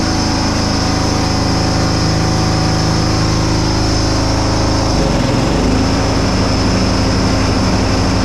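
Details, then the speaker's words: John Deere Hydro 175 lawn tractor after restoration with new blades and deck repair, PTO being tested; small single-cylinder runs steady and even, brief dip in speed around five seconds, then settles; normal running, everything works. "Cool. Yeah, everything works."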